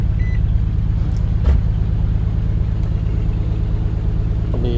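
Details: Nissan (2001–2005 model range) idling right after ECM/PCM replacement and key programming, security light off; steady low rumble with an even pulse near three beats a second, no misses; starts and idles cleanly.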